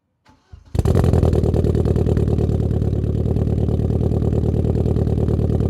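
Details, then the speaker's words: Turbo project car with antilag tune and reduced boost, cold start before warm-up: fires abruptly into a loud, lumpy, uneven idle with a choppy beat; owner suspects a cracked cylinder head, cause not confirmed. "So, based on the way that car started, I just think I have a cracked cylinder head, you know."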